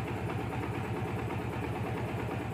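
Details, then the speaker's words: Yamaha Vixion Advance after repair: oil not reaching the head had wrecked the rocker shaft seats and valve caps, causing loud ticking; after the fix, including a torn seal replaced, it idles with an even, steady low putter, no tapping, engine quiet again. "dan hasilnya seperti ini gaib mesin kembali adem"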